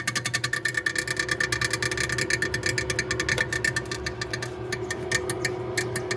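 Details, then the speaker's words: Continental frost-free fridge: fast, uneven ticking and scraping over a steady hum as the freezer fan blades clip built-up ice; fridge also not cooling below. "Conforme vai fazendo esse gelo esse gelo aqui entra ali ó e faz esse barulhão"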